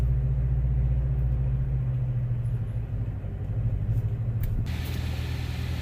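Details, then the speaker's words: 2016 Chevrolet Corvette C7 Z06 manual, pulling away from a stop in first while slowly releasing the clutch. Deep low rumble with uneven grinding, rubbing drone that stops once engaged; occurs hot or cold, flat or slope. Clutch grinding on engagement. "You hear this awful grinding, this rubbing noise that sounds like the clutch is gonna fall out."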